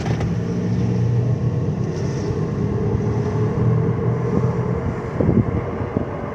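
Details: 2010 Dodge Grand Caravan, about 200,000 miles, at full road speed above 30 mph: deep steady helicopter-like drone and low humming throb in the cabin over road rumble; accelerometer on wheel showed little vibration.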